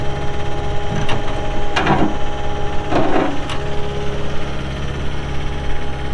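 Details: 2018 Caterpillar 262D skid steer diesel, 1,242 hours: steady low rumble with a few knocks from handling, settling into an even, healthy idle; normal idle.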